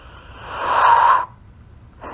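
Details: Cell phone call: instead of the ringback tone, a burst of warbling, hissy noise swells and fades, then a shorter burst; the cause is unknown.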